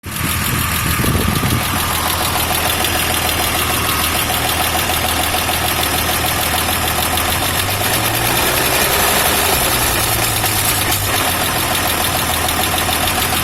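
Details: Toyota FJ60 petrol engine idling with an uneven, shaky beat and a constant airy hiss; owner suspects a vacuum leak, not confirmed.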